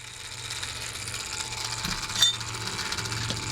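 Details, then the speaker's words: RC crawler on an Element Gatekeeper chassis under a Traxxas Defender body: faint quick ratcheting ticks and a thin gritty whir. Metal-to-metal gear mesh in the top end of the gearbox; owner plans to shim it. "All that sound is there is you're hearing the gear mesh. You're hearing the gear mesh in the top end, metal to metal."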